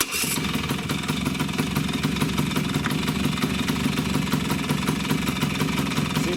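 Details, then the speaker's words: Vespa two-stroke with freshly fitted crankshaft bearings, idling with the clutch lever pulled fully in: the engine note changes slightly but stays steady and even, with no knock or rattle, and the flywheel does not move, showing good bearings. "I am now pushing the clutch. You hear difference in the engine noise, but it's not coming out, not at all."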